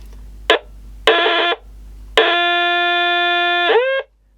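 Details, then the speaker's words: Portable CB radio on 12 V, on standby: loud steady high-pitched tone bursts, then a sustained howl drooping at the end, unaffected by volume; oscillating seems to be all it does. "we've got a pretty good oscillator here I think [Music] it's about all that's doing"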